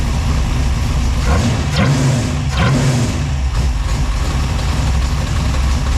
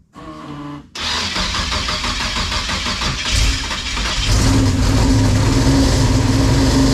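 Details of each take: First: V6 Chevette with fresh drivetrain after fixing crossed plug wires and timing set: steady deep idle with choppy loping cam beat, all six cylinders firing, temperature good; normal idle with lumpy cam. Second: V6-swapped Chevette with fresh drivetrain, first startup: cranks, catches and settles into a lumpy idle with steady popping stumble; two neighbouring cylinders dead, suspected crossfire from crossed spark plug wires.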